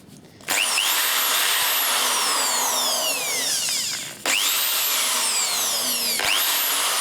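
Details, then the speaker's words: Bosch corded hammer drill after workshop rebuild (motor brushes and bearings, reassembled): high, even motor whir spins up cleanly, stops and restarts smoothly; forward and reverse both work perfectly, normal running. "and the forward and reverse works [Music] perfect"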